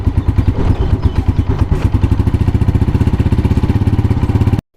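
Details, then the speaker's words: 2022-model motorcycle after the cam pin noise fix, done without opening the engine: even single-cylinder idle at about nine beats a second with no rattle, then the engine is cut. Cam pin vibration gone and the sound improved. "ये देखिए हमने bike start कर दिया और मैं fox करता हूं game की पेन पे उसके वाइब्रेशन आपको चेक करवाता हूं बिल्कुल खत्म हो चुकी है और साउंड बेहतर हो चुका है"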